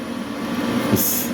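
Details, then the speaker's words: Large industrial crop-spraying drone 14S smart battery, charger error fixed; charging at 62–63% with no error; charger humming heavily, even steady fan hum with brief hiss: normal charger cooling fan running. "keep an eye on the charger you can hear the the charger humming heavy the fun on the charger is [Music] running that's how they [Music] charge they designed to charge fast right"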